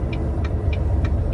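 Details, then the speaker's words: Volvo semi-truck diesel, running after fuel additive treatment in both tanks: heavy uneven grumble with a sharp tick about three times a second; rough running, owner suspects injector work is needed. "I'm a smart man but I think I need some injector work or something like that huh"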